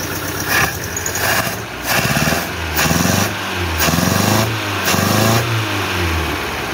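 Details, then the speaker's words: 1976 Chevy LUV 4x4 four-cylinder, clapped out with no compression on two cylinders: rough uneven throttle blips with hollow puffing undertone; crankcase blow-by showing a strong, slightly smoky stream of air. "it's got a pretty good stream of air send it all away a little smoky"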